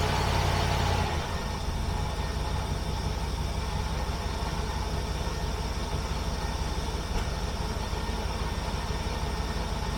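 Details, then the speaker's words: 1976 Mercury carbureted V8 after the ignition timing was set, while the carburetor base gasket was still on order: a low, steady idle with an even beat and no stumbling. It sounds much better at low rpm. "wow this sounds a lot better let actually have low RPM of course it's a lot better haha perfect"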